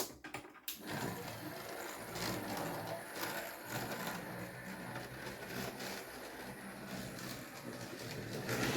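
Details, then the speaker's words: New 2023 Hornby Railroad M&GNJR 0-4-0T 'D' tank No.100 (R3031704) running: busy, gritty whirr with rough grinding, loco wobbling; white lubricant blob found on a wheel, cause of noise unknown, sounds unusual, 'a bit like a diesel'. "but I can't understand why it's all wobbling about making so much noise other than you know it's a railroad model but it just sounds unusual"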